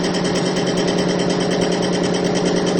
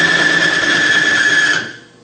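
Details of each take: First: Extreme-pressure bearing test rig, diesel fuel with Bitron treatment under 300–350 lb load (plain diesel failed near 50 lb): steady, even motor hum with no knocking, grinding or squeal. It gets quieter as the test goes on and does not seize. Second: Lubricant extreme-pressure bench test, electric-motor-driven race bearing in a fuel lubrication bath under about 50 lb load: harsh high-pitched screech and metal-on-metal grinding until surfaces overheat and weld together.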